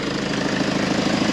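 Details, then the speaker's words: 2011 Range Rover Evoque 2.2 diesel after engine failure repair, injectors refitted, running with no exhaust fitted: loud, raw but even diesel clatter with regular pulses; smooth steady idle after repair. "right well now I'm happy that the vehicle is up and running the engine's running nice and smoothly"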